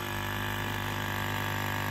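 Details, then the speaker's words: 1999-2007 Ford Super Duty F-250/F-350 with 7.3 or 6.0 Power Stroke, air only from defrost and 4WD hubs not working: electric vacuum pump drones steadily, never cycling off when connected to the system; continuous running from a vacuum leak. "all right so the pump is trying to achieve vacuum so now we're gonna see if we have a line leaking"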